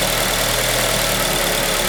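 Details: 2003 Acura RSX Type S idling: uneven, lumpy idle with a faint irregular patter over a hissy background; rough idle of unknown cause.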